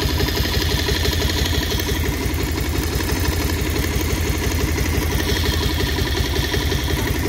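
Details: 2023 Bajaj Pulsar 150 dual-disc BS6 idling: steady thump with a loose, uneven clatter over it, roughly three beats a second; abnormal engine noise, source unidentified.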